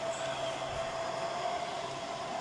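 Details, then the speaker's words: Noisy rackmount home-lab server/NAS, fired up: constant airy roar with steady mid-pitched fan whine, typically loud at startup before idling down; normal fan noise. "you can hear, so it is very, usually when it fires up, it is noisy. And then it kind of idles down."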